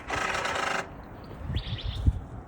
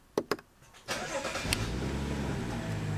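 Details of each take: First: BMW M235i (F22, N55 turbo) salvage car with codes 135808 and 135A08 for the Valvetronic servo motor position sensor: harsh electric buzz under a second at unlock, then faint clicks; Valvetronic servo motor fault noise. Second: 2015 BMW M235i (N55 turbo), salvage auction car, start-up: cranks, catches after a second and settles into a steady even idle with no ticks or misses; healthy start.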